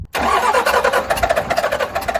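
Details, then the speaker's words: 12-valve 6BT Cummins rollback tow truck after a piston replacement and a thinner head gasket: it fires smoky and runs rough and lumpy after bleeding. Cylinder six had no fuel at first, then got fuel, and it ran good. "she's Smokey but she's running number six has gotten fuel"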